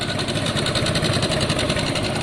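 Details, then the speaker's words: Small two-stroke motorbike just kick-started, warming up for a couple of minutes: fast, even buzzing idle with a crisp steady beat and no stumbles; running cleanly. "i'll give it a couple of minutes to warm up uh it's always good to warm your bikes up it gets the back tooth charge it gets the oil circulating and so on"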